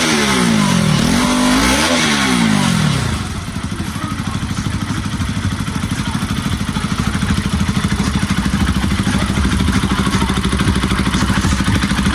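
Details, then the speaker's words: Bajaj Pulsar RS200/NS200 after timing chain repair; clean rise and fall through three quick revs then even steady idle, no ticking or rattle. "Ahí está, amigos, sin ruidos raros."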